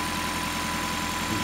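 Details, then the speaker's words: Prius C with AC not cooling, compressor commanded near target speed: steady even electric hum at constant pitch, no rattles or surging; compressor runs normally, pressures actually fine, high-pressure reading from sensor misinterpretation, not a leak. "you can hear the compressor running this isn't a leak this is a sense of failure"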